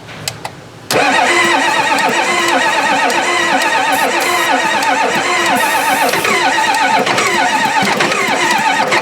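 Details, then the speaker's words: Four-door Bronco that sat about six years. Fuel reaches the fuel filter but not the rail. Steady rhythmic cranking at a constant rate that never catches or fires: a crank no-start from fuel starved at the rail. "so far the fuel is in the tank it's getting to the fuel filter but it's not going from the filter into the rail which is not getting into the system to make the motor run"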